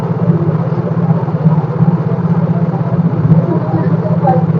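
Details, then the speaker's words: Mio J scooter running without battery, only a 10000 µF 50 V capacitor, battery positive disconnected: low even putter at idle with steady beats, no stumbles; very stable idle, charging judged normal. "saat mesin ideal sangat stabil sangat stabil mesinnya saat itu tanpa menggunakan aki"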